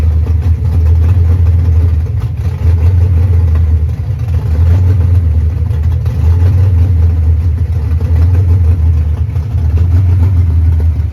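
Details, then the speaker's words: 1989 Ford Mustang GT Fox body V8 after bad TPS replaced, base idle reset and timing still to do: steady, deep idle around 900 rpm with a slight slow lope; idling smoothly enough. "We got the car to run on its own. You know, it just ended up being a bad TPS, and we still got to play with it, do a base auto reset, set the timing."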